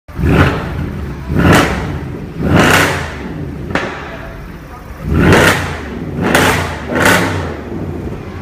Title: A car making a loud sound coming from the exhaust